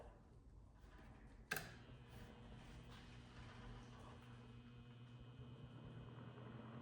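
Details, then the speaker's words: 1941 Gilbert desk fan, rewired to replace deteriorated taped connections, switched on low, drawing 0.51 amps: a switch click, then a quiet, steady low hum with no rattle, scrape or wobble. Normal smooth running on low. "It has a really nice sound to it. I really like this fan. I plan to use this fan summer 2025 because this runs really good."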